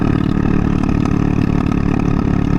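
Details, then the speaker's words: Honda Ruckus GY6 scooter with the intake air filter missing; small single idling roughly with irregular pops through the steady beat and louder exhaust, lean-running idle popping. "even at idle, it's popping and whatnot."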